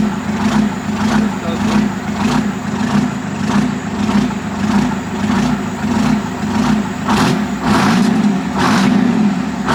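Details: 1973 Diamond Reo with an 8V71 Detroit diesel and 13-speed, test-fired after exhaust work. At idle, a sharp puffing tick of roughly 100 per minute sits over the rumble: exhaust leak at the muffler joint.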